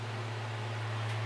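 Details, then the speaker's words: Wedge monitor converted into a SubKick microphone, fed from mixer aux 6 to the snake with gain eased up: steady low howl near 110 Hz holds, a controlled feedback loop with the speaker that fades moving away and returns coming closer. "that's a almost like a controlled feedback I'm not touching anything just when me moving away goes away coming closer"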